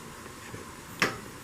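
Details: 2021 Forest River Flagstaff Super Lite 26FKBS travel trailer gas stove: one crisp igniter click in a quiet room; spark ignition works normally.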